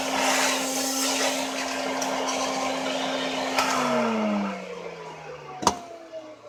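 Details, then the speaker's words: Old vacuum cleaner test run after cleaning and fitting a t-shirt as a reusable bag liner (only fault was the bag): steady high motor whine holds even, then spins down smoothly at switch-off; normal running. "All I do is really clean it up a little bit. Give it another test run. And pretty much almost as good as new."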